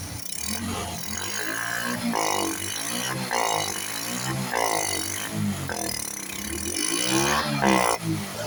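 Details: Honda RS/XRM 125 carb single after draining contaminated fuel: catches and runs, blipped a few times, then returns to an even idle without stumbling; fixed, normal idle.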